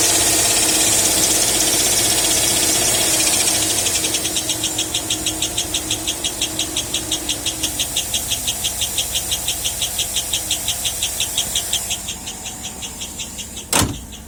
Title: Chirping noise on 2007 Escalade. It speeds up as engine revs. Removed all belts and is still present